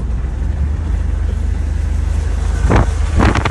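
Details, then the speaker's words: 2011 BMW 328i E93 convertible, deliberately beaten hard: rough, uneven engine roar under wind noise, then two harsh clattering bursts half a second apart; connecting rod later snapped in half and was ejected out of the oil pan. "it's going it's failing where is the check that's new oh yeah we got it bad we blew it up we blew it up a few moments later and eventually we shot a rod"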